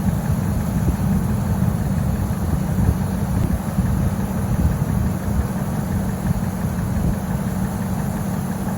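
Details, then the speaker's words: 1998 Ford F-150 idling with A/C on after two cans of refrigerant, gauge pressure equalized in the green zone: smooth constant compressor load, no cycling or knocking; A/C properly charged, normal compressor operation. "And that right there is right about where we're going to want it to be at for optimal cooling."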